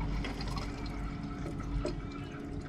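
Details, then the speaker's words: K20-powered Honda Integra DC2 racecar, fuel system being fixed after clogged injectors from tank debris: small lift pump hums steadily while fuel trickles into the surge tank during priming, filling slowly until fuel returns; normal, no flow stutter. "so I can hear that the LIF pump is now running and we'll get you on close and hopefully you can hear that surge tank filling up"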